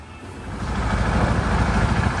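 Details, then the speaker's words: KTM 690 single-cylinder after repair for a growing engine noise: even, steady thump settling into quiet idle with no top-end clatter or ticking; much less noisy than before, sound. ">> Baby, listen to that. Oh, she's sound. It's a lot less noisy."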